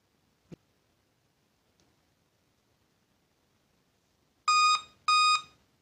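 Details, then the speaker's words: Laptop at power-on gives a faint click then two loud beeps, "memory was detected on previous boot"; reseating and cleaning RAM didn't help, one RAM module faulty and needs replacing; memory error beep code. "so still there is a problem with my Ram so I have to change my Ram"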